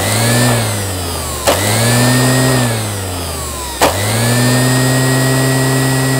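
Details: Qualcast electric motor after rebuild spins up to a steady, clean hum, coasts down and restarts twice; smooth even whine with no rattles or grinding, running normally.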